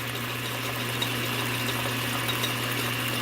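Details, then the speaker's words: Atlas Craftsman 10" lathe at highest speed in low range, in neutral as a baseline before engaging gears: steady, even motor hum with low drone and light gear hiss, no rattle or knocking; healthy. "i'm going to go to the highest speed in the low range and this is going to cause an increase in sound get the gear in the felt in the groove and let's see i'm gonna let's baseline it in neutral"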